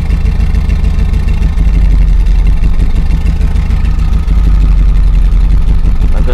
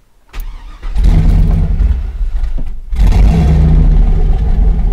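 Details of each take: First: 2000 Chevrolet Silverado 5.3L LM7 turbo after a cam swap to Summit SUM-8701, idle being tuned: heavy, lumpy, loping rumble that holds fairly steady in park; acceptable idle in park, but it barely runs in gear. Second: 2000 Chevy Silverado 5.3L LM7 turbo after cam swap to SUM-8701, idle airflow table reset to stock in HP Tuners: fires but stays running only with throttle blips, rumble sagging between revs; idle airflow too low, stalls at idle.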